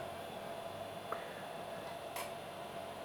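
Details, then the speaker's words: Woodgrain 486 PC booting after swapping in a 100 MHz 486 DX4 OverDrive: an original old physical hard drive gives a steady whir with a sharp click about every second; source unknown. "It has a little bit of a click every so often, but I added it anyway because I was digging through storage."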